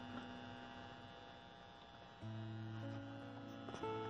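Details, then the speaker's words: Steady electrical hum with a low buzz from an Insignia sound bar fed by a SXM radio and an Insignia TV through a 3.5 mm three-piece splitter. The advice is to remove the splitter and plug the TV straight into the front wires. "if you notice still got some buzzing going on so what I recommend just doing away with a three-piece and plug the TV straight in to the wires coming from the front"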